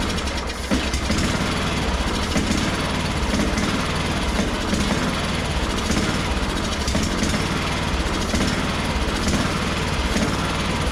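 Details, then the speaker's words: Craftsman ZTS7500 zero-turn, Kohler Courage engine, after adjusting a very loose valve: steady, even single-cylinder chug at fast idle with no misses or knocks; healthy, owner thinks carburetor may just need cleaning. "sounds pretty fine to me so that makes me wonder if I just need to clean out my carburetor and see if I can get this thing to run the way it"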